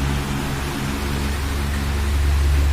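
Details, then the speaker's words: Astron electric fan that had dried out of oil, after oiling and reassembly, run on speed 1: a steady, smooth, even low drone with no rattle or scraping; the motor runs quietly and freely, like new. "Parang bago. Smooth na smooth yung takbo niya."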